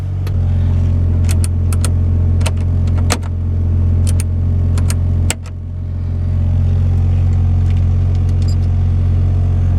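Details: Mitsubishi Evo just jump-started from a dead battery with a power bank: steady even low idle hum with no knocks or misses, a few light clicks on top; running smoothly.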